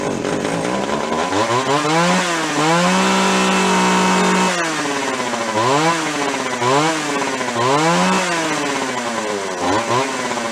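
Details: Free Echo CS-400 chainsaw with air cleaner refitted; revs up and drops back in repeated throttle blips, picking up cleanly and holding steady idle between; oiler working; normal running, though low-speed circuit problem suspected.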